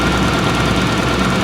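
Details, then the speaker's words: 2000 Toyota Camry V6 at idle outside before test drive: rough, lumpy idle with uneven knocking beat, stumbling on a cylinder; definitely misfiring though it felt smooth inside the car and the check engine light seemed off. "Oh, she's definitely misfiring. This car is really really pissed off right now."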